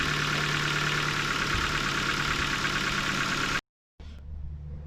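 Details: 2008 Ford Focus Mk2 1.6 petrol, about 170,000 km, 5W-30 oil, cold after sitting overnight, mic by the engine: fast light clatter at idle lasting 2–3 minutes; owner suspects the valves.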